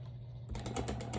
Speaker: that is an indication of the blade rubbing up on the shaft